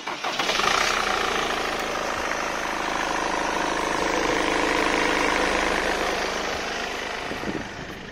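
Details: Mercedes W204 C-Class with failed steering column lock (ELV), started by bypassing via fuse and relay in neutral; starter spins briefly, engine fires cleanly and holds a steady even idle.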